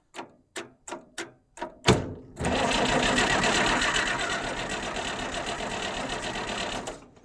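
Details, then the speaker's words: Long-unused Farmall 806 diesel tractor: a few clicks, then the starter spins the engine evenly for about four seconds with no firing at all. Fuel reaches bleeder two but the injection pump shows zero fuel; cause not yet confirmed. "Nothing. Zero fuel. So, where is my is this injection pump?"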